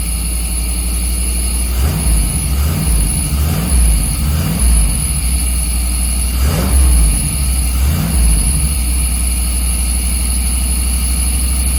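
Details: 1990s Chevy 350 5.7 V8 campervan after replacing fouled spark plugs and cleaning ground wires: blipped about six times, returning each time to a steady even idle, no misfire or stumble; owner thinks it idles too hot, may adjust timing.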